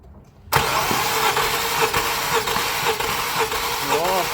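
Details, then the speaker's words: Wet compression test on a 2015 Infiniti QX70 at 123,000 km with a shaking engine: with oil added, cranking turns firmer with even quick chugs and compression rises, suggesting the oil film was simply washed off the cylinder walls. "На маслі сразу бух-бух-бух. І це каже нам про те, що скоріш за все просто змило пльонку."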